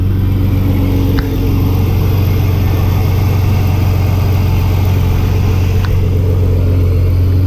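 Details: 1987 S10 truck, 2.8L V6, fresh oil change after 10,000 miles, new rod bearings, gaskets, plugs, sensors, EGR, throttle body, three-inch exhaust and new cat: a steady, even low rumble with a smooth idle and no knocks or misses, sounding healthy.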